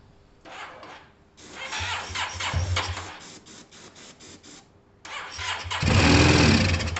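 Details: Yamaha TMAX carbureted scooter, kicked over with starting fluid sprayed in: cranks, catches briefly and fades, then fires and revs hard only on the spray. It is struggling with fuel, either a delivery problem or caked-up carbs needing a clean. Fuel starvation.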